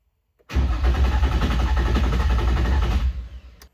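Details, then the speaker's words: Nissan 350z sat dead over two years, engine and transmission reinstalled, during troubleshooting: starter churns evenly about two and a half seconds, never fires; fuel pump heard priming; the day before it sputtered and briefly idled; cranks, no start. "Now it won't even start. As you can hear, it's just cranking and cranking and cranking and nothing's really happening."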